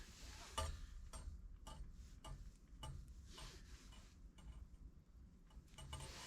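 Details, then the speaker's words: Kriesler 11-81 1958 valve radio after electrolytic replacement, on dim bulb at about 224 V: faint uneven crackles and ticks, no station, volume and tone controls change nothing; noise traced to the rectifier valve, possible short suspected. "we still seem to have that problem with the crackle and nothing else"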